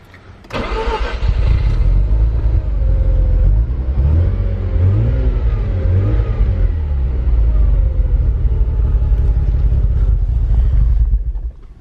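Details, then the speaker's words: JDM Mazda FC3S Savanna RX-7 rotary, cold start after sitting since the day before, battery just reconnected: catches with a burst, runs rough with hunting revs about ten seconds, then dies, won't hold idle; cause not identified. "So let's see if it starts right up. Oh wait, shit. Oops. Really? Why won't it idle?"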